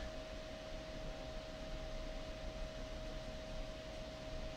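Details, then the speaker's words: Gateway Windows XP desktop with a Pentium 4 3.2 GHz and a GTX 550 Ti running a graphics benchmark at about 99 °C: loud, steady rush of air with a fixed whistling tone; cooling fans at full speed. "I can actually hear the audio just in that bad but of course those fans as you can hear are going nuts"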